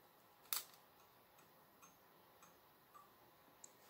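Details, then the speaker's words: THORN ferromagnetic 1x15W T8 fluorescent fitting with a THORN starter rated 30–40W, tested after refitting the cover: the glow starter goes "touk touk touk" with faint irregular ticks and sharp clicks as the tube strikes; normal, tube works fine. "Ah, le starter il fait un bruit touk touk touk, hein. On l'entend."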